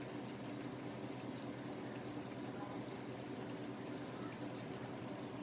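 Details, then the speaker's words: Ice machine in freeze/pre-chill, no water filter fitted: a steady soft rush of water into the trough at an even rate, no sputter or hammer, filling until it reaches the level probe; normal water fill. "So the water's coming in good. Once it hits that probe, it should stop coming in."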